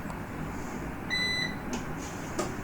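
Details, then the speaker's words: Numeric Digital 1000+ (1kVA) UPS switched to battery mode and then turned off: single clear, long high-pitched beep over a quiet room; control board fault, board replaced under warranty. "இப்போ பார்த்திங்கன்னா long beep கேட்குது. இது board issue."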